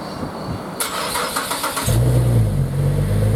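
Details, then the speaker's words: Holden VE SV6 60th Anniversary V6 after oil change, new exhaust fitted, not yet driven: starter whirs briefly, engine catches and settles into smooth, even, deep idle with no ticks or rattles; nice and quiet, normal start. "As you can hear, she sounds quite nice. Doesn't sound like fucking arse like most of them do. And it's nice and quiet too, so it's going to keep the cops off of her back."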